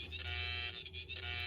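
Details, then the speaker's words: Echophone Commercial EC-1 radio after removing a shorted tuning-capacitor plate, antenna connected: steady harsh buzz with a whistling edge and no programme audio, oscillation likely from something back-feeding through the AC mains. "kind of like an oscillating type noise but we're not really detecting any audio we're getting different things"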